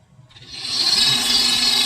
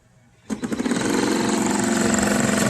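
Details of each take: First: Dolphin S 300i pool robot with a guitar pick wedged in as a temporary fix for a slipping drive while the replacement gear is on back order: thin, high motor whine rising and holding steady with no clicking or skipping; the drive turns normally. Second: Dolphin S 300i pool robot that previously had a seized motor bearing: motor spins up and holds a steady hum with fine rapid ticking, and the impeller moves air, but the robot barely moves; drive slipping, likely a stripped gear.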